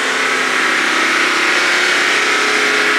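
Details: Mercedes GT63 AMG following a 2-minute hold at about 3000 rpm: engine settles to a smooth, even idle with no knocks or rattles; normal idle, fault code did not return on scan.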